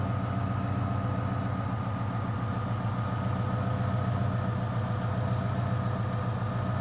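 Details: 2000 Ford Explorer XLT 5.0 V8 with a Meziere WP374 electric water pump, after replacing the idler assembly with its cracked retainer plate: steady even idle, smooth low drone, no scraping or knocking from the pump area. Normal idle.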